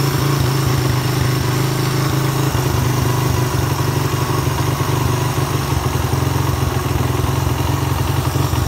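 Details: Suzuki Satria FU 150 after a ground wire was added from the black-white wire to the engine. It revs cleanly and drops back to a steady idle without hesitation. The earlier refusal to rev was traced to a corroded or broken ground wire.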